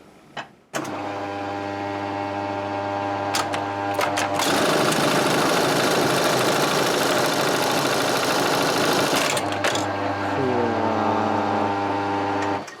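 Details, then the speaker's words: Industrial sewing machine at a Tokyo industrial sewing machine shop: a steady, somewhat resonant, high-pitched ringing running tone with a rough rushing burst mid-run. It may get a bit quieter; cause not identified. "この音は少し共鳴して、はい。音が高い。まあ、もう少し静かになるだろうけど。"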